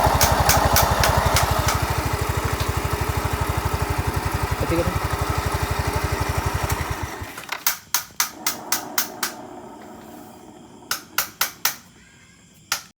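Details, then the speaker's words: Yamaha Mio S 125 scooter, CVT area: rough steady snoring rumble about four beats a second, then engine shuts off; growl points to worn rear pulley bearings. "dan ini ya ini ada bunyi kasar di bagian Speedy dan punya ini seperti bunyi ngorok gitu ya teman-teman"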